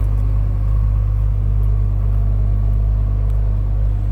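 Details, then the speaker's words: 1986 Toyota Supra Mk III with the 3.0 L 7M-GE engine, idling and heard from behind the car: steady, low, even rumble with no knocks or misses; a smooth, healthy idle. "You can hear how nice that runs, nice that sounds."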